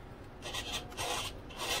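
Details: Delta Force 35 mono hull RC boat, Spektrum STX3 radio, servo: three short quiet buzzy whirs as the servo sweeps back and forth, even, no chatter or grinding; normal servo operation.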